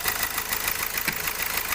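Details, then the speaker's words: 2016 Hyundai Accent CRDi diesel after replacing a sensor with a cracked tip that had caused misfiring and a rising and falling idle: an even diesel clatter now, with no stumbling. Normal idle. "Ayan Napalitan na natin ng sensor Wala na siyang o yan hindi na nam mamalya So okay na yung problema natin"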